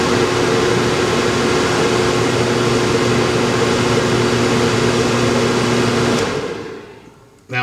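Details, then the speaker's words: Livowalny 200W power inverter for 18V tool batteries, fed 20V from a DC bench supply, running a 163W load: steady fan rush with a low buzzing hum from the fan motor, guessed to be from step-style speed control. "I don't know if you could hear that but that fan motor has a bit of a hum to it"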